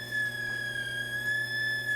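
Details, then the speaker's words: Aiwa TPR-910 stereo cassette boombox on tape play, motor running but spindles not turning, constant hum on radio: thin steady high-pitched whistle with faint wavering and no program sound; abnormal electronic tone. "so that's not good sounding but all right so still don't have any sound whatsoever in this machine"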